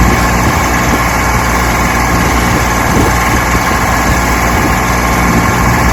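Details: 1968 Johnson 6 HP outboard after mechanical restoration, lake test run: steady, even drone at constant speed with no misses or knocks; running healthy.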